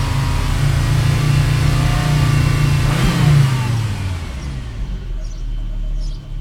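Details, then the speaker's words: Warm 2001 Volvo C70 2.4 five-cylinder turbo held near 3,000 rpm stumbles, its note sagging and wavering; hesitates, no power. MAF, plugs, coil packs, air filter replaced; no codes, ETS light intermittent. "basically what happened is when you're revving it's called like a fluffing like a like a really BSE noise I'll see if I can do it [Music] it's like hesitates"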